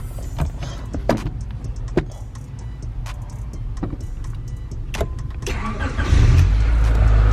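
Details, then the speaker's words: Honda Accord CB7 started with a newly installed JDi push-button start kit (fob, brake pressed with button): a few scattered clicks, then a low rumble builds as the engine catches and settles; clean, normal start. "Alright, as you can see, the car is started. All from that little button right down there."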